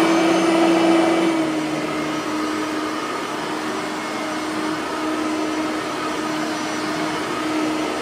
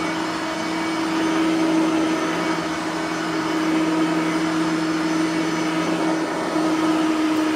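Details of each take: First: Bissell 3510-9 (9 amp) upright vacuum, bearings freshly greased, set to low on lower carpet; steady high drone that sags in pitch as the head settles, motor sounding a little strained on the low setting. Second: Bissell 3510-9 (9 amp) upright vacuum after greasing both brush roller bearings; steady even motor whine over a constant hum, no scraping or rubbing from the brush roll anymore; runs smooth, normal running.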